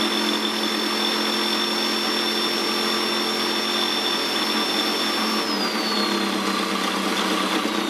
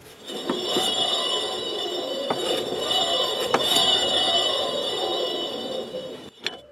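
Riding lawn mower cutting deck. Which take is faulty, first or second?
second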